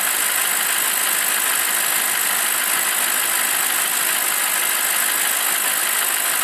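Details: BMW 745i E65 V8 after a 2°C cold start whose clatter disappears after 1 min 20 s: warmed-up, steady even idle with a smooth hiss-like hum and no knocking or clatter left.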